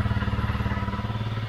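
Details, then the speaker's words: Honda CRF250L single-cylinder idling after fuel pump filter cleaned and spark plug replaced (it ran badly after suspected bad fuel): even steady thumping, no misses or surges; runs well, owner suspects the spark plug was the main cause. "I am very, very pleased with how Honey is running."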